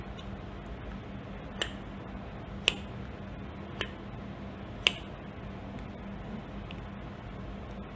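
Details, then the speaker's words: Pneumatic cylinder without cushioning: at each end of stroke the piston slams the end cap without slowing, giving sharp isolated clacks a second or so apart over a quiet air hiss, a strong impact. "Kita boleh lihat semasa piston berada pada hujung stroke, okay, semasa piston menyentuh end cap, okay, sentuhan tersebut memberikan impak yang kuat, okay. Boleh dengar pada bunyinya,"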